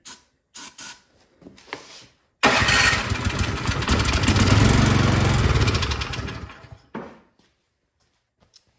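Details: Troy-Bilt Storm 2665 snowblower left all summer with gas in it, won't start: fires and roars about four seconds on starting fluid, then fades and dies; fuel starvation.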